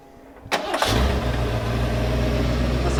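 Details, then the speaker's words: 1991 Ford F250, rebuilt 351 Windsor V8 converted from EFI to carb, after idle screw adjustment: catches within a second and settles into a steady, even low rumble; normal idle. "All right, got our idle screw adjusted. Come on now. Oh, truck's off. There we go."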